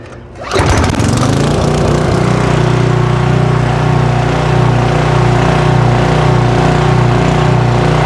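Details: Generator that sat in a garage for at least ten years, started with choke and pull cord after first dying right away: the small single-cylinder engine catches and settles into a steady, even drone at constant speed; running smoothly after the restart.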